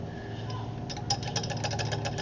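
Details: 2008 Craftsman YS4500 lawn tractor non-starter, top end opened (cover bolts found finger-tight, previously worked on): fast, even ticking clatter over the cranking churn from the valvetrain; valve clearance far too loose, gaps wide enough for a screwdriver, later adjusted.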